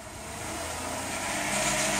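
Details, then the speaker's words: 2007 Ford Territory 4.0 L six, automatic, no fault codes, loss of power, at full throttle: revs climb slowly and sluggishly with a muffled rushing exhaust; suspected blocked catalytic converter. "I believe it's possibly catalytic converter locked"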